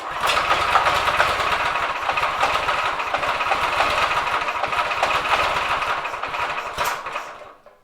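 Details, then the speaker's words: Drift trike small engine after carb idle screw set to 1.5 turns, choke off, throttle blipped: uneven putter of about four beats a second that stumbles then dies away; rough idle; owner suspects it needs more fuel, not confirmed. "Think we need a little bit more fuel."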